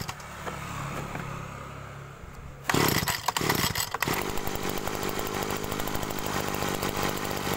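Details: Agricultural sprayer small two-stroke engine, after swapping in a known-good carburetor to test a suspected stuck pump causing "ngok" on throttle: fires and settles into an even buzzing run without bogging; normal running, pump suspicion ruled out.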